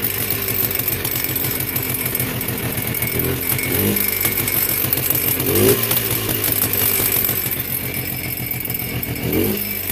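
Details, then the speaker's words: Polaris Trail Blazer 250 two-stroke ATV, bought as a non-runner: ragged buzz that sags and stumbles as revs drop, only runs at high idle; low compression suspected. "It has to run at a higher idle. Once it comes down to a low idle, it won't stay running, and the reason why, I think, is because there"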